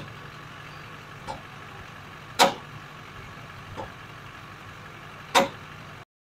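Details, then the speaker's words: Vehicle idling while owner listens for a creak and popping from the front left suspension: sharp irregular single pops, about four in six seconds, over steady idle; tie rods and idler arm already replaced, sway bar links doubted, cause unknown. "can catch something out of the ordinary on camera since I don't have two sets of eyes with me and I'm trying to find this Creek and this popping noise coming from the front left"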